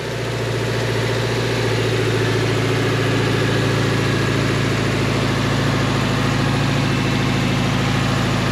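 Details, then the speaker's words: Junkyard engine just swapped into a 2018 Subaru Crosstrek, with a bank 2 knock sensor code: steady low idle with fast light ticking over a slightly uneven beat; valve or lifter noise suspected, possibly sticking lifters, not confirmed. "let me fire it up and you can see how it [Music] runs still got a no it's a it's like a valve"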